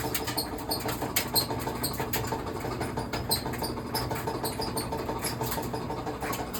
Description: I never yet fix dryer until now that our clothes dryer sounded an annoying loud knocking and squeaking noises when running.